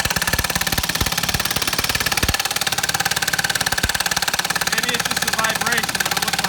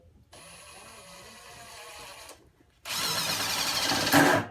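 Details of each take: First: Stealth Force Gen5x impact driver on a 3-inch lag screw with no pre-drilling: rapid steady hammering of three or four blows a second that labours on then stops, not its normal sound; overloaded, owner stops driving it. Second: Stealth Force Gen5x impact driver at speed 3 driving 2-inch T25 Torx screws: light motor whir, then loud steady hammering as the screw drives home, impacting slower but harder than typical impacts; normal operation.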